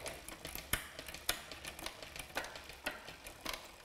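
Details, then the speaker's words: Rear derailleur after new gear cable, barrel adjuster set so the jockey wheel lines up with the second sprocket: crisp, separate clicks shifting across the cassette with no grinding; normal indexed shifting. "once we've lined those up we should find that the gears are indexed and it shifts smoothly across the cassette"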